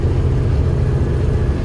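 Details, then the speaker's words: Peterbilt diesel truck with Super 10 transmission, pulling hard under load: deep, even drone with no knocks or misses, smooth and strong. Engine healthy. "I can't believe this super 10 takes what I put at it I mean it it's crazy"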